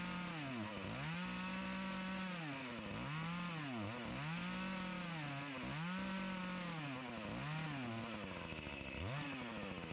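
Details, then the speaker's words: Echo CS-352 chainsaw that starts then dies; revs climb and sag about every 1.5 seconds, dropping hard as it bites in; fuel starvation, fuel line suspected to be sucking air so screw adjustment won't fix it. "if that fuel line is sucking even it doesn't matter how much you adjust these screws it's not going to run properly"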